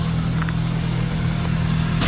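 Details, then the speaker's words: Track car after a loose oil filter leaked oil from both seams and was retightened, restarted with good oil pressure, spilled oil burning off: even low idle, steady rhythm, no knocks or ticks, sounds healthy. "Engine sounds okay. I'll just let this oil burn off, I think. Pressure's good."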